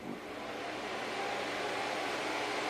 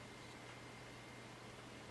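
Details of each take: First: Packard Bell iMedia S3720 desktop at power-on: a small fan, about 80 mm, roars up over the first second and stays very loud while the machine doesn't boot; something inside is suspected disconnected. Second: Packard Bell iMedia S3720 desktop on restart into Windows: very faint steady low hum and soft even whir, no rattle or surging; rear case fan now spinning slowly and quietly, normal fan noise.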